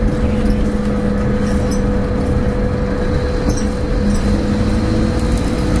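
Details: Stagecoach Cumbria Optare Solo bus 47020 (PO51 WLK) driving on Service 30 from Whitehaven to Workington, May 2015: a loud, steady mid-pitched hum holds constant over road rumble; the source is unknown.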